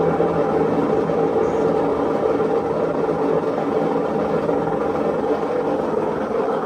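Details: Maytag washer with a loud-noise complaint, running a diagnostic spin test: a constant deep roar with a coarse rumble as the drum speeds up. Play felt at the drum confirms a worn drum bearing.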